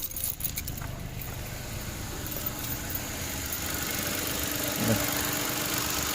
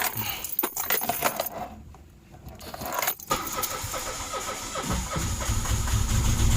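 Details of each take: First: Mitsubishi Mirage that was hard starting and smoky, after replacing a failed spark plug: engine catches after a brief rattle of keys and settles into a smooth, even idle with a steady low hum. Normal running restored. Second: Mitsubishi Mirage with sudden hard starting: several seconds of cranking after new spark plugs fitted, then catches into steady idle with a few revs; failed spark plugs caused the no-start, earlier smoky running.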